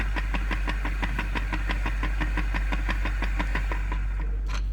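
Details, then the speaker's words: Kia/Hyundai electric car reduction gearbox with new bearings fitted: constant low hum with light ticking about three times a second, source not pinned down. Gearbox noise. "there is a constant [music] sound it gives its trouble well you can hear this sound of"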